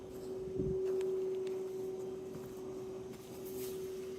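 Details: New Fujitsu 2.5 ton heat pump outdoor unit (AOUH30LUAS1) in heat mode at low speed, steady whine around 381–434 Hz through walls, linked to inverter compressor drive; replacement model was quiet: inverter drive tonal whine.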